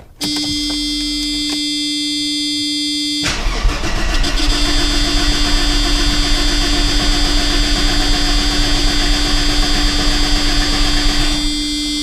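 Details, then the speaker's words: 1990 Mercedes-Benz 300E that sat for years, fresh battery and fluids checked: steady tone then about eight seconds of even starter cranking that never catches; spark is good, so a fuel problem is suspected, probably the fuel pump. "Looks like we've got good spark, so it probably is a fuel issue. Probably is the fuel pump, just like he said it was."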